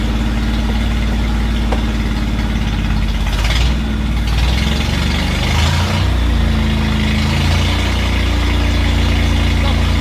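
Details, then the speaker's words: 1968 Bedford CA Smiths ice cream van, first start attempt after sitting, fired on partial choke with no coolant in. After a brief wobble it settles into a deep, steady, even idle and runs well; normal idle. "well that's uh certainly answered the question does it run well yes it does"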